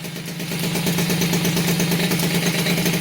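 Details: Rebuilt Peugeot 103 RCX moped two-stroke, first start after reassembly, carburetor not yet tuned: buzzy engine picks up into fairly even fast patter, no knocking, slight unevenness.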